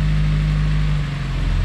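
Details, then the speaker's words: Rebuilt Honda S2000 F20C2 engine on its first start after a full rebuild, running only about 10 seconds with no check engine light: the steady idle sags lower and roughens slightly as the idle speed drops. Cause not yet known. "Oh, there's an idling going down again now. Yeah, dropping an idling."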